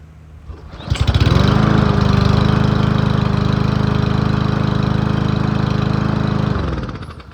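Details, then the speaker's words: Troy-Bilt 12AV02C2066 lawn mower with Huayi carburetor, after carburetor cleaning for a no-start: pull-start catches at once and holds a smooth, steady drone without surging, then shuts off cleanly; normal running. "This one sounds great. If your machine has only a thermal choke, you want to let it run for 5 minutes and make sure it still runs smooth."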